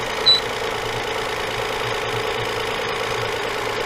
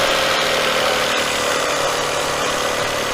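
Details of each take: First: 2004 Toyota Avalon 3.0, complaint of belt noise mostly when cold: a light buzzing rattle at steady idle pulses with the engine beat. It comes from a loose exhaust flange missing a nut, found and replaced. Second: 2004 Toyota Avalon 3.0 with a complaint of drive belt noise when cold, running with the belts off: steady, even idle with no rattle or clatter even while the exhaust pipe is wiggled; solid and quiet, normal idle.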